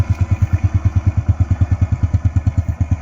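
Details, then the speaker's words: Honda Wave 100 single, described as quiet and smooth, easy starting, choke working, clutch not slipping: soft even putter about nine beats a second, no knocks or rattles; normal idle. "เครื่องเงียบๆนิ่มๆเลยนะครับเียบหลายก็เอาเลยเด้อครับใช้งานยาวๆเลยนะครับ"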